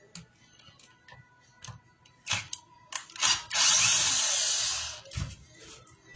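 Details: Bosch GWS 22-180 angle grinder with new carbon brushes: harsh, rough whine only during spin-up after some clicks, quiet once running; a shorted armature in the motor.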